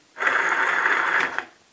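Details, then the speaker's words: 2001 Kia Sportage rear-drive driveshaft center support bearing, removed and spun by hand: short rough gritty whir, not smooth; worn center support bearing, the cause of the scraping noise. "definitely the problem"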